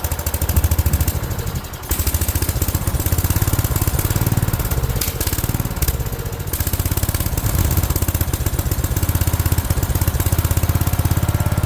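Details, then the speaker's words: Rare 1970 single-cylinder garden tractor, barn find, first run: uneven chuffing around two hundred beats a minute, dipping at times; runs rough, seemingly starved of fuel though the tank is full; owner suspects the fuel filter style mismatched to the fuel pump. "So, as you just heard or saw, it is running. Um, sounds like it's not getting enough fuel."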